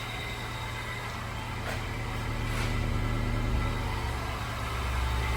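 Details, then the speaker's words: 2007-2011 Honda CR-V at idle after welding a rotted-through aftermarket exhaust resonator/flange leak: smooth, even low rumble with no puffing, ticking or hiss; exhaust sealed, quiet. "Ah, nice and quiet."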